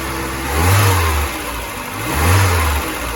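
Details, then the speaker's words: VW Polo Mk2 Breadvan carburettor engine idling cold on auto choke, after an exhaust repair. Slow gentle swell and fall in revs; exhaust low, even and much quieter, no blowing or ticking; running healthy. "It's much quieter now. It does sound a lot better being quieter."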